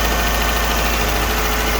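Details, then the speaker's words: 2009 Dodge Journey 3.5 L V6 at a steady, even idle with no stumble, miss or knock, at first start-up after replacing the spark plugs and one misfiring coil. Running pretty good: normal idle. "I think we're running pretty good here."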